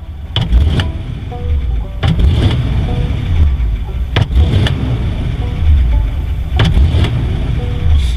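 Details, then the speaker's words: Warmed-up 1955 Ford in a timing and carburetor test, throttle floored from slow idle and released: deep idle with four quick blips that wind up cleanly and drop back without hesitation; healthy throttle response. "Seems to wind up pretty well."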